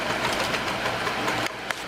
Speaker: You hear that rhythmic kind of clunking sound? That's mostly on this one a slipping belt, but a little bit of it is the gear.